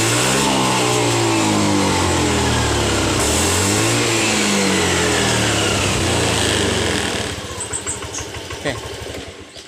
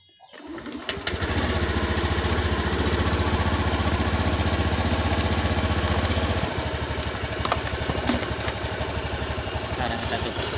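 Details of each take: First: Honda BeAT FI scooter: fine at light throttle, but at full throttle engine surges and stumbles with wavering pitch and loses power, normal once throttle eases; faulty TPS throttle position sensor. Full-throttle stutter. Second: Honda BeAT FI scooter that lost power and stuttered at full throttle, fixed by shimming with hose instead of replacing TPS: picks up cleanly, holds steady revs, drops to a smooth idle; normal revving.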